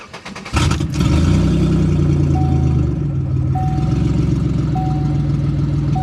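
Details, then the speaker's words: Chevy Impala with an exhaust damaged in an accident: starts, then settles into a loud, rough, raspy idle far noisier than the car used to be. Exhaust leak. "Yeah, he was not always this loud."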